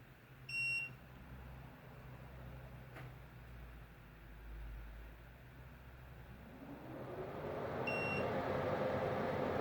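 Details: Midea inverter portable air conditioner with heat pump, bought July 2022: beeps, fan winds up to steady hum, then continuous rapid irregular clicking starts.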